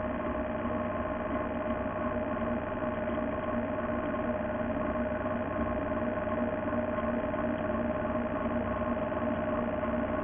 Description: First boosted board with 70 miles developed the dreaded motor clicking, upon inspection found it had a play in the bearing for the motor shaft.